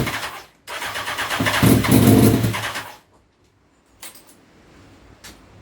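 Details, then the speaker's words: Honda CBR929RR SC44 turbo build, first start attempt with 100% of fuel pulled from the map, to be added back incrementally: the starter spins briskly for about two seconds with an even churning beat but never catches. Cranks, no start, fuel too lean. "so the plan is at the minute we've pulled a hundred percent of the fuel out on the field mark don't crank it and see what it does and then we'll keep incrementally adding fuel onto it till it starts"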